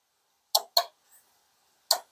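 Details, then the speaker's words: Radiator fan relay from a Buick Encore 1.4L turbo, bench-tested with a 9-volt battery on pins 85 and 86: two pairs of sharp, crisp clicks about a quarter second apart as the coil energizes and releases; switching normally, passed. "now I can I don't know if you can hear it but it's definitely strong and working properly so this is past the um the second relay test"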